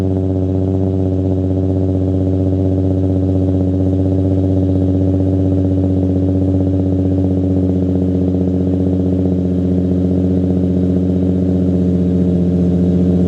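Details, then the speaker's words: Nissan 350Z 3.5L after swapping test pipes for Berk high-flow cats (not yet broken in), startup: steady throaty exhaust drone, about the same volume or slightly quieter, no rattle or buzz, no noise inside; normal exhaust note. "uh it sounds actually the same volume I would say maybe a little bit quieter um a little bit throatier um no noise inside though"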